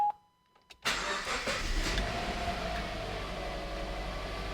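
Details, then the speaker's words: 2010 Subaru Impreza 2.0L after spark plug replacement (NGK Laser Iridium) and air filter change: dash chimes, quick crank and catch, smooth quiet idle with no misfire; normal start and idle, though check engine and traction control lights came on. "the car's all back together now it's working it sounds like it should no issues there"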